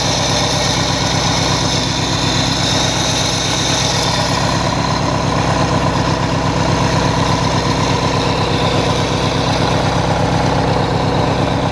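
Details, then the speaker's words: Hechinger by MTD lawn tractor after new belts were fitted and the adjustment was redone: an even, steady idle with a soft, regular thump about three times a second and no knocks or misses; running normally. "[Music] [Music] that appears to be acting all right so i'll put on that cover you"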